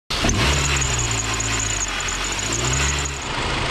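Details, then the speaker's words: Cold start: a thin, steady high squeal rides over the idle for a few seconds. It typically lasts 30 seconds to a minute until the engine warms, and sometimes returns around 2,000-3,000 rpm. Serpentine belt squeak; the fix shown is dielectric grease. "This is a squeak that randomly occurs whenever you first start the vehicle, and you just get that squeak for the first 30 seconds to a minute, and then it goes away once it gets warm."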